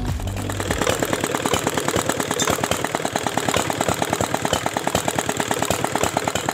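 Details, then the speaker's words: Dompeng R175 single-cylinder diesel, previously dismantled by owner, first test start after reassembly; thumping about three times a second with a sharp knock, uneven, never settling; air in fuel suspected. "lihat sobat diesel ternyata gasnya tidak rata ya Coba sekarang kita tes setel wajah dulu ini apakah bisa atau tidak"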